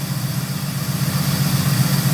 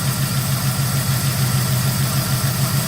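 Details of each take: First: 1971 Oldsmobile 98, 455 V8, 20W50 oil, just started with a new HEI module, still not hot: steady low rumble with an even, lopey beat and no lifter tick, charging 14.3 volts; clean idle. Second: 1971 Oldsmobile 98 V8, just restarted after HEI module replacement: steady, slightly uneven idle with a faint light tick; suspected lifter tick, maybe driver's side or front, not confirmed.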